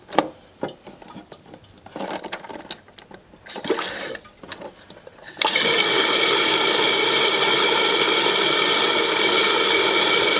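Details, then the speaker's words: Toilet after fill valve replacement, with the float adjusted clockwise to raise the fill level: after a few clanks, water hisses steadily and evenly into the tank as the new fill valve refills it to the line, a normal refill. "And you'll hear in a minute the water should come back on. Now we want to make sure it's going to fill up to the line."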